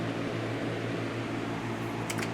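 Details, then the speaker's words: Lasko CoolColors box fan on low speed: soft even whoosh of air over low steady motor hum, no ticking or rubbing; normal running, just wind. "that's low and as you can hear knock on wood it's just wind"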